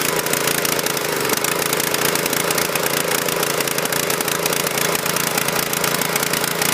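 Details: Husqvarna PW3200 pressure washer, Briggs & Stratton CR950 208cc single, submerged in Hurricane Ian flooding, fresh fuel, choke off: loud busy clatter with uneven stumbling beat at fast idle; runs rough but keeps going, cause unconfirmed.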